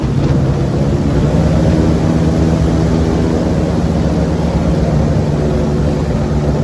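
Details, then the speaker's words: LS3-powered airboat in the water after repair, under load coming out of the hole where it used to act up: loud steady engine drone with propeller roar, no misses or pops; running healthy. "Get a load on her coming out of the hole. That's when it would really act up before. Oh yeah, she back."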